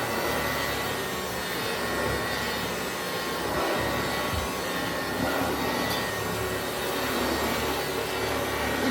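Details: Hoover Junior 375 upright, 1950s–60s, stored in a loft for decades, after a bag cleanout, new belt, brush roll bearings and new brushes: a steady, even motor roar with smooth brush sweeping on carpet, no rattle or squeal. It vacuums normally.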